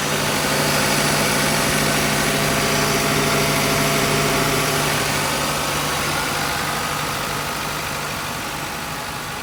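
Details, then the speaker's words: 1994-01 Acura Integra B-series engine after accessory belt replacement, AC on: steady, even idle with no chirp or squeal from the belts; normal idle with accessory belts quiet. "All right, now let's crank it up and make sure we don't have any squealing and no lights on."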